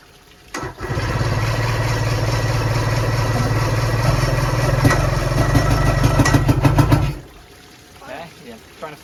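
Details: 1990 Johnson 130HP outboard, previously seized and sitting 10 years, on a premix tank with VRO still fitted: it fires and runs loud and lumpy for about six seconds, then dies; the owner suspects over-oiling.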